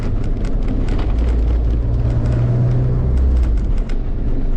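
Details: K24 Civic hatch at idle after wastegate reinstalled and valve reseated: deep steady rumble with no puffing or ticking, no exhaust leak at idle (leak previously heard only under throttle); sounds healthy.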